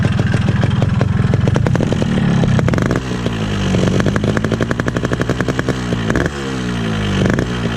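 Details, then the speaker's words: Standard original 2002 RX King two-stroke motorcycle, throttle blips: a loud rattly engine with a harsh clatter over the exhaust. Abnormal engine noise; owner suspects a loose piston or connecting rod from hard riding. Cause unconfirmed. "Ya maaf aja kalau misalnya Suaranya berisik Karena berisik berisiknya mesin banget berisik mesin gak tahu ketutupan samaanp atau enggak"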